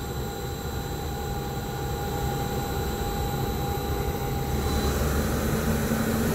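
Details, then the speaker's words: AAON unit Baldor fan motor running normally for comparison: steady airy rumble with faint constant tones, no bearing howl or grinding. "in the neon they use these drug drive first incline up the fan though seems pretty quiet there she blows"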